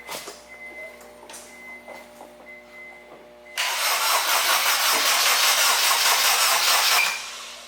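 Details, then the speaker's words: Acura RSX after motor build and LSD install, first start on a jumper box: starter cranks steadily about three seconds but never fires; cranks no start, fuel pump heard and fuel pressure present, battery charge doubted. "Come on, little engine. It's like, nope. Usually it starts like really fast too."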